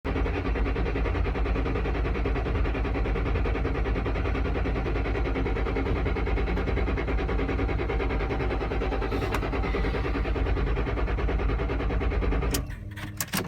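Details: 2007 Mustang Shelby GT-H with a random hard start, usually on cold mornings or nights. A long, steady, heavy cranking rumble lasts over twelve seconds; cause unknown.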